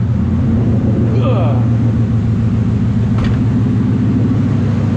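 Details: 2014 Mustang 5.0 Coyote V8 freshly swapped into a 3V S197 Mustang with plug-and-play harness, just after first start; steady, even deep idle rumble with no misses, knocks or hunting: normal idle.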